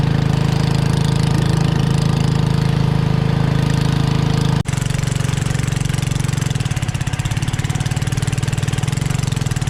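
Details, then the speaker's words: Generac 01292-2 pressure washer engine after fitting a replacement carburetor: steady, even single-cylinder chug holding speed with no misses or surging; runs fine for a minute before nozzle steams and it tries to shut off, owner suspects pump overheating. "So turn it on and it runs fine for a minute"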